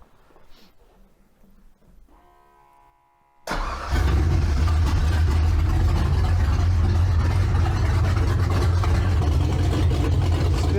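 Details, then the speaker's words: 302-swapped Ford Ranger, dead cold start after fixing carburetor O-ring flooding: quiet, short crank, catches straight away and settles into steady even idle, no stumble or flooding. "dead cold I don't know if you can hear me hopefully you can and no flooding yet"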